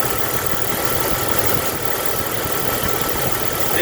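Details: Jeep engine idling: steady hiss of air drawn through the EVAP line as the normally closed purge valve, intake side connected, passes vacuum when it should not; purge valve stuck open, possible contributor to cold starting issue.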